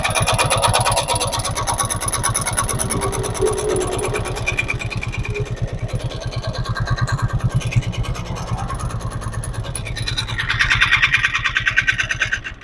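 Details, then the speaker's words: Old Hero Glamour BS4 carburetor motorcycle, kick-started (self-start faulty): steady single-cylinder idle thump with dry metallic clatter each beat, like something wearing; timing chain and valvetrain noise from engine running without oil. "तो आप लोग ने सुन लिया होगा कि किस तरह से इंजन से आवाज आ रहा है बहुत खराब आ रहा है ऐसा लग रहा है कि कोई चीज बहुत ज्यादा घिस रहा है यह क्या चीज का आवाज है दोस्तों यह हमारा टाइमिंग चेन का आवाज सुनाई दे रहा है"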